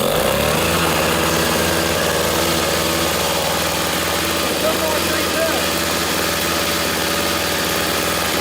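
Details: Free curb-found 1997-1998 snowblower, small single-cylinder engine, after installing new carburetor and cleanup, primed with choke in middle: starts and settles into steady even run, no misses or surging; normal running.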